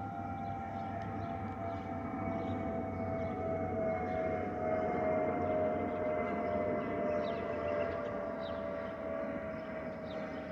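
A steady high whistle holds level over the cabin rumble with a second tone above it, the usual FOPP whistle of this type.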